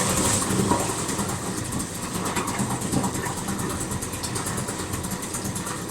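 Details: Outboard engine recovered after being submerged, restarted hot right after shutdown following run under load to dry out: catches and settles to even busy idle, steady chatter, no stumbling; normal hot restart and idle.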